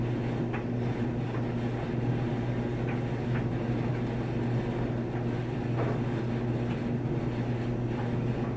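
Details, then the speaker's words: New Samsung dryer on regular setting, level and not touching anything, drum empty: steady low drone with continuous rattle and light ticks that get louder as it runs, as if something metal is loose. "there is nothing in there but listen to that rattle and it gets louder as the machine goes it's like a cold noise or something or a rattle really irritating"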